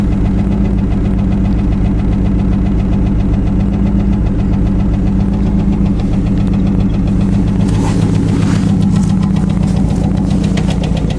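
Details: Chevrolet Cavalier idling after a used junkyard starter was installed: a fast, steady tick of roughly three to four per second from the front of the engine over a smooth idle; the owner attributes it to hydraulic lifters needing replacement, though this is unconfirmed, and the muffler needs repair.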